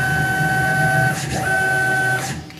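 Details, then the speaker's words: Tormach PCNC 1100 Series 2 mill, Y-axis stepper motor jogging while the X-axis stepper driver was failing: clean, steady single-pitch whine with brief pause, smooth and even, no roughness; Y-axis sounds normal. "I'm out here trying to troubleshoot the x-axis uh stepper motor which is still causing problems uh as you'll hear the Y AIS sounds just fine"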